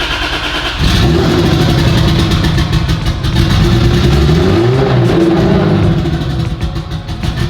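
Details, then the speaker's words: Turbo Lexus IS300 on first start after rebuild: rough, uneven running that needs throttle held, revs swinging with occasional stumbles and audible turbo spool. Intermittent misfire, cause not yet found; a trigger edge setting was later corrected. "Well, it wanted to run. Yeah, we have an intermittent miss we need to get figured out."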